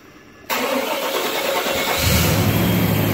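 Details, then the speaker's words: 1998 Chevy 1500 5.7 Vortec V8, hot no-start: fuel pressure bleeds to zero as the leaking spider injector floods the intake; after draining the fuel, a short crank catches at about two seconds and settles to a steady idle. "well mother's gonna dump it wide open now some of that fuel all just leaked into the intake so I'm gonna dump it it's dumping draining into the can"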